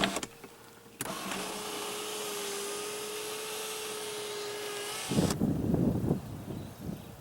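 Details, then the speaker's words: Pontiac Grand Am GT SC/T: the sunroof motor gives a steady, even electric hum at one pitch for about four seconds and stops cleanly. It is operating normally. "So these ones work. As well as the sunroof."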